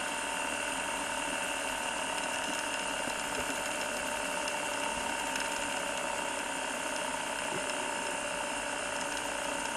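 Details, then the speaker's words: Gem Turbo Trax mono cassette tape copier (16x speed) rewinding: even whir and mechanical hum slowing as tape builds on the reel to avoid tape breakage, no ticks or scraping; normal rewind. "Now, it sounds like it's getting slower and slower, because in fact it is. As more tape gets wound onto this reel, this reel will get faster and faster."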